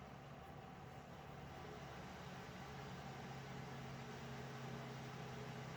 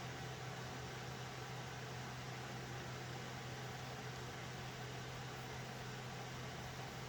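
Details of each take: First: Alphacool Eisbaer Pro Aurora AIO liquid cooler after pump motor replacement, in server under full stress test: steady fan rush with constant low pump hum, no rattle or gurgle; noisy server fans, heat coming off socket; normal operation under full load. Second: Steady whooshing air rush with a low constant hum from a server's stock fans, running loud with no change over time; noisy fans due to be replaced.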